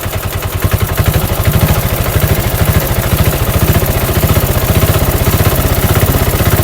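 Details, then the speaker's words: Rebuilt Bajaj BS4 diesel auto-rickshaw engine, full bore, just fitted, push-started due to flat battery; even steady thump under light revs, no clatter or knock. Tuned for smooth, quiet running. "మనోడు ఏమన్నానంటే బండి engine రన్నింగ్లో ఎక్కువ శబ్దం రాకుండా చేయండి అని చెప్పిన అనమాట. అందుకే స్మూత్గా పెట్టినాం, బీడింగ్ స్మూత్గా రావాలని."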